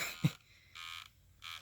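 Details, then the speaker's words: Portable disc player on a 3-volt adapter, just arrived by mail: three short, faint scratchy bursts about every half second; owner suspects gears knocked out of alignment in shipping, disc still reads. "it was making some kind of scratching sounds like the gears we're out of alignment which could have just been because this was tossed around in the mail and it needed to reseat the the little gears or something like that"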